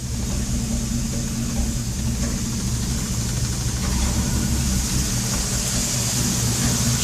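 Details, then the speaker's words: AMC/Jeep 258 4.2L inline-six after swapping the leaky plastic valve cover for an aluminum one, restarted with a likely empty fuel bowl; lumpy, uneven idle with a steady hiss, a vacuum leak, though a very heavy cam also lopes the idle. "it already sounds different oh vacuum leak I can hear it what the hell of a vacuum leak"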